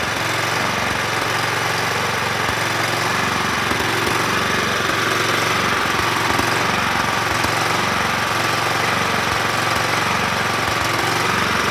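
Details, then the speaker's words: 2004 John Deere L110 hydrostatic mower with a Kohler Command 17.5 hp single, about 565 hours, blade disengaged, moved forward and back: a loose rapid clatter of about three per second from the melted idler pulley over the running engine. "so with it running I moved it forward and back but I could hear that um clatter on the that pulley that's melted"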